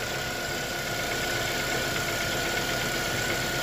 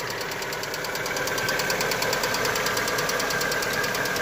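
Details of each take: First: ну вот движок вообще перестал шуметь вообще никакого шума нету двигатель работает ровно вообще ровненько Second: Lada Vesta just after a cold start, oil topped up by a litre after about 9,000 km: fast, light, steady ticking about three per second from noisy hydraulic lifters, which soon settle.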